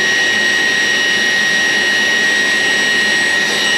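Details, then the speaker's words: 14-year-old Taft Viper RC jet's ducted fan, ESC just armed, throttle blipped with the canopy off: a high, steady whining rush with a clear pure tone on top, holding even, showing strong suction; the fan spins up cleanly and runs normally. "That's got some serious suction in there."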